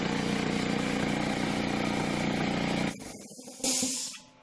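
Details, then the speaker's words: DeWalt D55168 15-gallon air compressor after rebuild kit (connecting rod, cylinder, head o-rings; part N038785), previously slow, loud, maxing ~60 psi: steady even pumping, no knock or clatter, then motor stops with air hiss; normal running. "so here we go what a difference guys down so much better"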